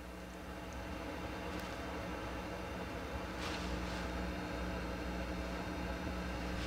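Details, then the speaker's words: Akai GX-230D open-reel deck paused in play with the tape still: a steady rushing hiss and no induced hum, with a slightly scratchy pot; excessive noise, suspected to come from within the amplifiers themselves. "scratchy pot a little bit so we're getting a lot of noise hiss and noise and rushing noise but there's no hum so that tells me it's not externally induced this noise i think it's coming within the the amplifiers themselves"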